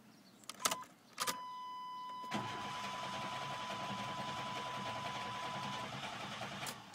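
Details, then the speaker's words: Chevy truck, battery good: a chime and clicks, then several seconds of steady, even cranking that never catches; cranks but won't start. "I got to crank it one time and then it'll stop right up the second time oh boy I'm too much it's probably been sitting in the sun all day on a hill oh what is going on here well I got a good battery that's for"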